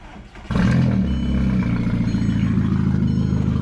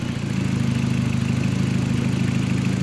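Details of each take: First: VW Mk4 after a battery relocation to the trunk: engine catches and runs lumpy and uneven with a clattery, unsteady beat. The rough running is from an existing vacuum leak. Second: VW Mk4 petrol engine after battery relocation; the owner expected it to run rough because of a vacuum leak, but it idles steady and low with an even pulse and no knocks or misses.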